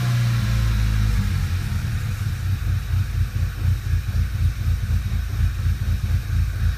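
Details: VW GTI 2.0 TSI at idle: low rumble stumbling unevenly with missing beats, RPM jumping and the engine shaking from cylinder misfires.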